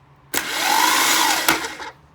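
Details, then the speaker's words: 1986 Porsche 944 Turbo engine, starter fed by jumper wire: a brief electric whir rising then falling, engine not turning over; ground too weak, fixed with doubled jumper cables and a one-gauge ground wire. "Okay so it's not getting a good enough ground perhaps"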